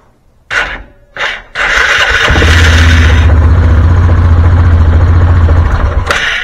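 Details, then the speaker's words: Axis 500 4x4 UTV after new solenoid fitted, in neutral with parking brake set: two short clicks and bursts, then long laboured crank about four strokes a second; starter dragging, needs replacing. "so that did fix that issue now the only thing I got to do is I got to get in here and change out this starter because it's definitely dragging"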